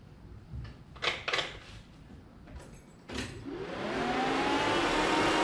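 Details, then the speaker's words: Shelby Cobra build, 2003 Mustang GT 4.6 V8: key-on, a few clicks then a steady whir. Pressure comes right back; normal priming. "if i turn this key on we should immediately see about 30 to 50 psi last time it took a good 30 seconds to a minute to build perfect"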